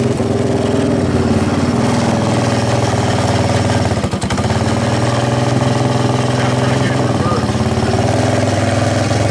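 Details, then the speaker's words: Yamaha 660 Raptor ATV after oil leak repair, ridden: single-cylinder thumps at a flat pitch that won't climb under throttle; bogging, riders suspect slipping clutch or poor tune, unconfirmed. "it doesn't sound like it it sounds like the clutch and slip and we're riding it yeah first works fine you just can't rip it all the way out because it's not quite tuned right"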